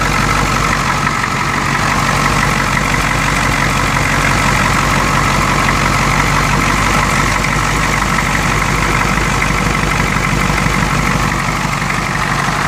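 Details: 1992 Ford 7.3 IDI diesel idling loud and uneven with a ragged stumble, a rough injector-like knock and heavy chuffing blowby. The misfire is random. Teardown found broken second rings on two pistons and one bad valve guide.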